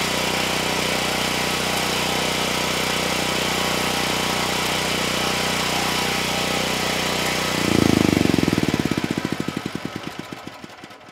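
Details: Generac GP7500E generator load test after fuel system cleanup: drone surges and labours when heavy load hits, then chugs down to a stop; held 60 Hz at 3000 W but failed at 6000 and 5000 W; engine down on horsepower, cause unconfirmed.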